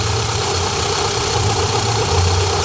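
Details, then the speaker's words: VW Golf 1.8 turbo, 150 hp, same engine as Audi A3: steady low idle drone with faint background clatter that disappears with slight throttle and returns at idle; cause unclear, owner plans to replace water pump, timing belt and tensioner kit. "É o mesmo motor da Audi A3 e tá com um barulho estranho."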